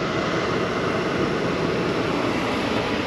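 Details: 2012 Chevy Malibu, about 86,000 miles, warmed up, heater blower on highest setting after blower motor resistor replacement: steady even air rush, smooth fan hum, no rattles or squeals; normal.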